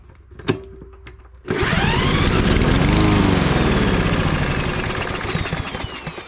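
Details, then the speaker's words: Troy-Bilt lawn mower, no-start, after shear pin fix and exhaust valve clearance opened, gas squirted into carburetor: catches after a couple of pulls, runs rough and loud then fades; starts on primer, carburetor to be cleaned, compression low. "okay so she's kicking over my next step now is to take this carburetor apart clean this carburetor out and that should remedy this whole situation"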